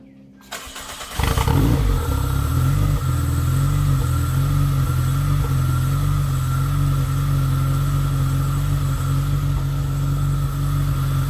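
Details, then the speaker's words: Supercharged 2ZZ-swapped Toyota MR2 Spyder at idle with smoke and very strong smell: heavy, uneven idle oscillating up and down, worse with a little throttle; rough idle/surging, owner unsure if tune-related. "okay so there's a very strong smell right now really strong and it's actually kind of idling smoothly but now you can hear it up and down up and down and if I give it a little throttle it might even get a little [Music] worse"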